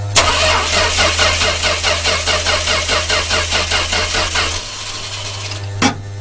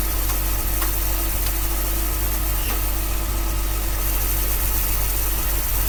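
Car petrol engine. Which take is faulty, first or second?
first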